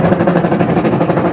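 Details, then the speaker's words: Washing machine run with the pulsator removed: a loud, rapid rhythmic clattering grind that runs steadily. Still very noisy without the pulsator, so the gear case is confirmed faulty; the timer also stops intermittently. "Tumunog. Kaso napakaingay. Wala na, may problema ang gear case nito."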